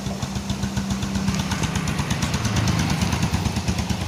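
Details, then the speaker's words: Yamaha Vega R New motorcycle, which was hard to start cold and would not idle, now idles normally at a steady even beat with a low smooth thrum after the repair. "Seperti itu teman-teman ya, nyalanya sudah normal, lamsamnya sudah normal, hidup juga, tidak perlu capek-capek nyala sampai 20 kali teman-teman."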